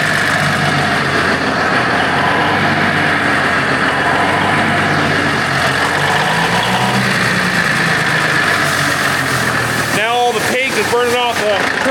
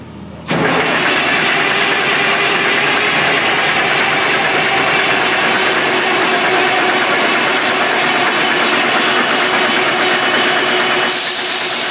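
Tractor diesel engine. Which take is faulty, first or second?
second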